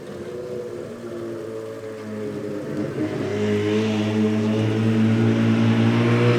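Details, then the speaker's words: Rotary-powered S15 on a Link ECU after retuning idle settings and fixing a transition table falsely activating at idle: low, even burble, steady drone swelling slightly then holding; idle now lower, more stable and more responsive. "so now with all those little settings you can hear the difference you know the idle's way lower it's more stable and it's a little bit more responsive"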